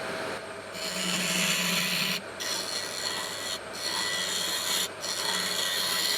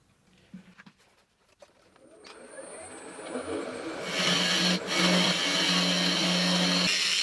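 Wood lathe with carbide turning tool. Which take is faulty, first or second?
second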